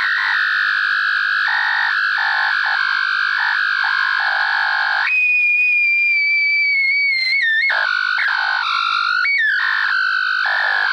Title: Old Macintosh making weird noises due to dead capacitors.